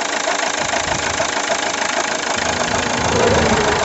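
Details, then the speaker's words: 2003 Toyota Yaris petrol, 206,000 km, at idle: light uneven clacking about three a second over a dry whirr; alternator, replaced in 2011, tests fine; suspected tired accessory belt tensioner pulley. "alors le pour le bout il faudrait que je regarde un sûrement mais me semble que c'est le galet tendeur qui est qui est un peu fatigué"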